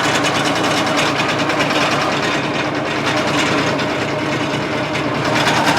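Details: Case 1835C skid loader with broken piston rings, first run after years: uneven, rattly running about three beats a second with a thin busy clatter, smoking heavily as compression blows by the rings; rough running.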